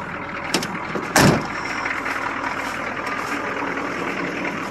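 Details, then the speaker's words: 1982 Chevy Blazer 6.2 Detroit diesel idling after a cold start at about 20°F: even, steady quick clack with no misses after a brief door clunk; healthy cold idle. "with the old 62 Detroit quick clack"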